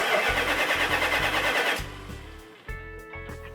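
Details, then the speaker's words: 1972 Dodge Charger Rallye 318: rhythmic starter cranking that never fires even with added fuel, then fades under music; plug wires in the wrong firing order cause the no-start. "we cranked it over doesn't fire we've added fuel to it still there's no fire on it"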